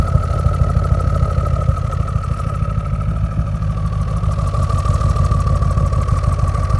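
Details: Audi RS6: idle carries an uneven low thump about three times a second with a faint steady whine on top; rough idle, cause unknown.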